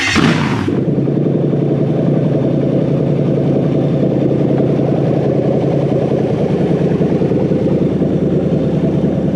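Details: Toyota 3UZ-FE VVTi V8 freshly wired to a Haltech Elite 2500 loom; brake booster fitting and PCV hose still to be replaced. Catches quickly, then settles into a steady, even rumble with no ticks, knocks or misfires. Normal running.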